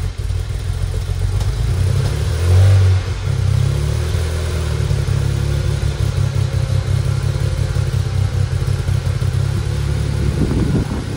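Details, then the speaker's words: 2008 BMW 335i N54 twin-turbo, first start after reassembly and intake valve carbon cleaning: loud lumpy cold start, uneven chuffing, wavering revs, rough misfiring, heavy smoke filling the garage. "she's so Smokey she's so Smokey she's a runner holy cow smoked out my garage woo God that sounded terrible"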